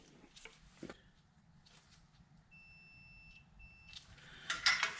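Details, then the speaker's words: Walker lawnmower with no power at console, fuse tested with multimeter continuity: steady high-pitched beep for about a second with one short break; fuse is good. "All right, that fuse is good."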